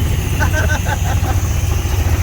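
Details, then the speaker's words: 1978 Ford F100 Cleveland V8, running after sitting at least 6 years: deep, lumpy idle with uneven low thump, cylinders seemingly dropping out; owner suspects two spark plug leads broken during plug change, new leads expected to fix. "It's inside the workshop, which is great. It's been sitting outside now for about a month. So it's inside and it runs under its own power, not very well."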